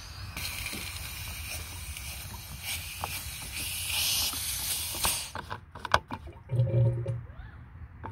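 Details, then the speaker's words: Ford 6.0 Powerstroke diesel, cold after sitting about 20 hours, coolant overflow reservoir opened (new cap): long pressure hiss, then gurgling pops; blown head gasket, later confirmed. "Hear that pressure and then bubbling? I'm pretty sure I have a blown head gasket."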